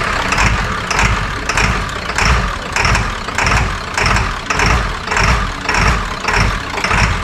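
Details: 2002 Ford F350 7.3L diesel, 238K miles, after injector cup and o-ring repair plus a new passenger-side injector harness; that side had not been firing. Steady, even idle with a regular clatter and no misses, some smoke puffs clearing, running fairly smooth. Normal idle.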